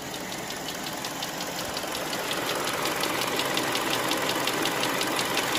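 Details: Hyundai Creta 2.0 warmed-up engine at idle: fast, sharp, evenly spaced ticking knock that appears on some days and not others; owner does not know the cause.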